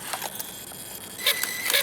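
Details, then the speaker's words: RC rock crawler Jeep ("Beater") on the bench, 2S battery, under throttle: motor whine with irregular sharp clicks and rattles from rear axle, front spinning but rear not; bearing seen popping out, ring and pinion skipping, locker possibly worn rounded. "That's a problem, isn't it? So, what do you guys think? It's either the ring and pinion, or it is the locker, or maybe a combination of both."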